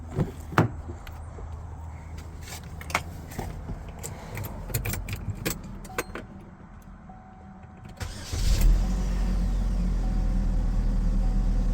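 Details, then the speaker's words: 2010 Chevy Malibu, 140,000 miles, after a no-crank no-start, with a new battery, terminals and fuses fitted (owner suspects a shorted wire downed the network): clicks, then it starts quickly and settles into a steady, even idle. "the key in the ignition the car started right up I don't know maybe one of the modules reset itself and came back to life"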